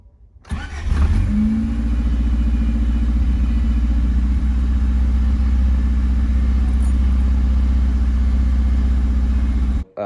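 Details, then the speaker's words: 34-year-old Honda CRX after long rebuild, new battery and timing adjusted: quick start then smooth steady small four-cylinder idle held slightly high, attributed to small vacuum leaks; runs well, normal idle. "she turns over she runs pretty good has a little high idle but I have a little vacuum leak here and there but for a 34 year old car she she purrs like a little kitten"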